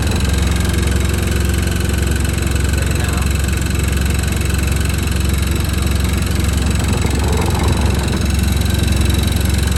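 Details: Washing machine spinning on a wooden shed floor: heavy, steady low rumble with fast rhythmic shaking throughout, a light banging against the shed; the machine is slightly unlevel and the floor flexes.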